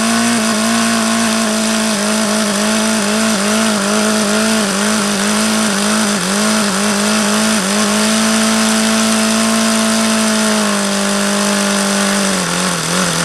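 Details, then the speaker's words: HP VT 21 rotary-valve four-stroke model engine, not overly hot: high buzzy idle that hunts and wavers, rising and sagging, then drops near the end. Owner believes the low end is still rich and keeps leaning the low-speed needle. "like it's still rich that's why I was going leaner on this low speed because that's what that seems to indicate"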